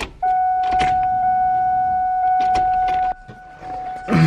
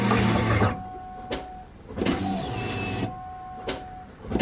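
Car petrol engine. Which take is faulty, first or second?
first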